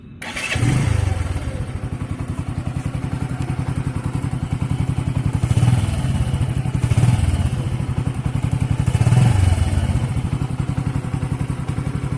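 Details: Bajaj CT 100 ES single-cylinder at 4,891 km, started and shown with choke position: settles into a steady, even putter of about four beats a second with no knocks; sounds healthy.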